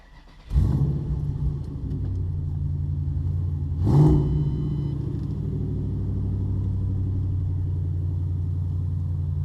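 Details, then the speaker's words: Mustang with a stock-ish engine, new tune and aluminium flywheel on its first test drive. A strong, even low rumble picks up cleanly with throttle and settles smoothly; it revs well and goes through the gears, sounding healthy. "sounds good revs good feels good goes through the gears"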